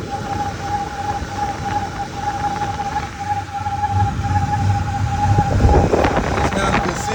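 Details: 2003 Ford Expedition, 295,000 miles, warm idle with temperature gauge mid-scale, heard from the top then underneath: a thin, high chirp that grows louder and only appears at operating temperature. Owner suspects a pulley and plans to spray WD-40 on it.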